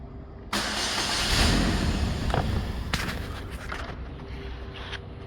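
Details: 2009 Saturn Aura 2.4 Ecotec, fuel pump previously replaced, fuel pressure 50 psi within spec; steady cranking at about four beats a second that never catches; no start.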